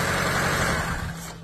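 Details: 2005 Seat Ibiza, cranks but no start, engine ECU relay not switched on: steady running engine abruptly loses power and winds down within a second when jumper power to broken black-purple ECU feed wire is removed.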